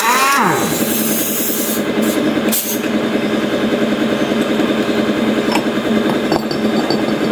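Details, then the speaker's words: Yamaha Lexi scooter, CVT complaint with damaged pulley fan, running: fast, busy metallic chatter from the belt side; drive pulley working loose on a worn crankshaft thread, confirmed on disassembly. "inilah tandanya kalau mau lepas pasti kedengeran kan bunyi gitu"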